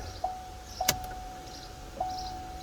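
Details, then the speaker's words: 1991 Corvette C4 TPI, sat about a year, after replacing the fuel pump, fuel lines and pressure regulator: faint steady hum at key-on with one click, engine off; normal fuel pump prime. "that sounds good fuel pump yeah boy"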